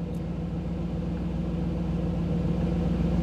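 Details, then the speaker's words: 1985 Camaro IROC-Z TPI, new engine build, OBD-I scan tool: smooth even idle; with tool data stream active idle sat near 975 rpm, dropping to about 750 rpm when exiting the tool display. Normal idle. "so you could hear the difference in the idle what that is is when i dropped out of when the when i went out of the tools display when it's not getting the data stream then the idle drops back down"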